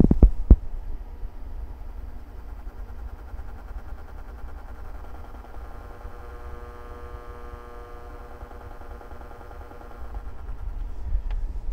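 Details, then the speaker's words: Carver MXR2000 magnetic field amplifier, mic next to the transformer, amp running at 10 Hz: low transformer hum throbbing in regular pulses as the triac switches, bench lights pulsing with the heavy current draw; normal behaviour. "okay just for fun we're gonna put the mic next to the transformer we're gonna kind of listen to that triac do its thing with the amplifier running at ten Hertz okay so we can actually hear it switch here we go"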